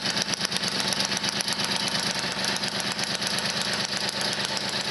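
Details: Motobécane 51 VS moped, 1978, two-stroke after a full rebuild (new rings, bearings, seals, clutch, points, condenser) following thirty years seized; fast, fairly even popping beat and crisp exhaust note; healthy, smooth running.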